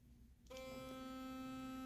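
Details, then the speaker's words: Working Philips Sonicare FlexCare Plus toothbrush, compared against a defective one: starts and holds one clean steady buzzing tone with no wavering or rattle; normal operation. "You hear it's a very clean, consistent vibration."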